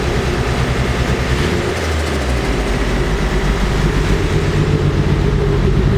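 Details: Cold, freshly fully rebuilt Nissan S14 SR20DET (OEM parts) starts perfectly but has a deep, shaky, uneven idle; revs up fine yet shakes at any steady rpm, with black smoke from running very rich; misfire, cause not found.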